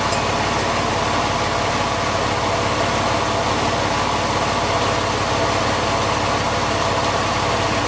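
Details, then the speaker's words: Porsche 911 996 Carrera 4S after fitting pulleys borrowed from a Boxster 986, MAP sensor and air intake off so idling slightly rough: steady even hum with no chirp, squeal or bearing rumble; belt drive now quieter. "now it's going to run a bit like that cuz the map sensor is off and the air thr is off but that does sound quieter back have a listen"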